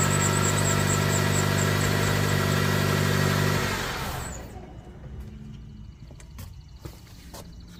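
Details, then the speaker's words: 2008 Jeep Patriot, no-crank no-start from bad relay wiring, with the dead red/yellow relay wire jumped: engine catches and runs smooth and even for a few seconds, no misses, then shuts off cleanly; normal running. "And I jump these two wires, we get power everywhere, and we can start it."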